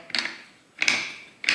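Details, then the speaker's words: 1979-1984 Harley-Davidson 4-speed rotary top gearbox, with the kicker gear shown during a rebuild: three crisp, bright ratchet clicks as the kicker returns; normal kick start ratchet noise from that gear. "when you so when your kicker is coming back up this is the noise you hear here"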